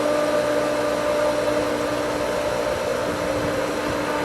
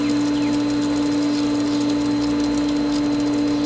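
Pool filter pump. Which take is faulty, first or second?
first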